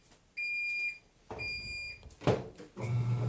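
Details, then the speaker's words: Haier HLP23E top-load washer giving a shrill, steady squeal in short bursts with each stroke, only during the wash cycle and not on spin. The noise goes away when it is lifted, and the belt was checked and found tight and unfrayed. "when I lift it it goes away I've already checked the belt underneath the belt is mine there was it was very tight still there was no fraying but it doesn't squeal during the spin cycle"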